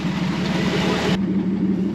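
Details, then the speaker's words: 1949 Chrysler with a new fuel tank, sending unit and an Edelbrock micro electric fuel pump (2–3.5 psi), replacing a failed cheap pump. Even, steady low rumble with no stumbles; it runs without flooding the carburetor. "so I had my wife pick up a Edelbrock micro pump and it's supposed to be like two to three and a half PSI and it seems to be working without flooding it without running the carburetor over"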